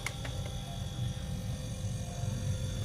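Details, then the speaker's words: One-door fridge that was not cooling though lamp lit: compressor starts and runs with a low, steady hum and constant faint tone, no clicking or cycling; normal compressor running. "Nah ini sudah nyala teman-teman ya. Jadi mesin kompresornya sudah nyala."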